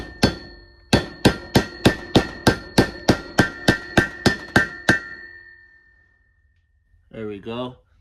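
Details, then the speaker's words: Honda D16Z6 engine build for a 1990 Civic: new blue valve stem seal, oiled, tapped on with a hammer against a socket about three times a second; taps ring more solid and metallic once the seal fully seats. "So, it's easier if I use the metal side to hit the socket because you can hear the noise change when it fully seats. It'll sound more solid."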